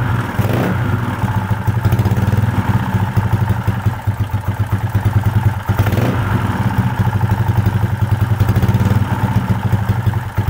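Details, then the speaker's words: Motorbike that started cold but died and was hard to kick-start when hot (CDI first suspected), after resetting valve clearance: steady even low idle beat with light blips; fault was valve adjustment, now running normally. "Mantap teman-teman ya, ternyata ketemu penyakitnya, masalah settingan klep."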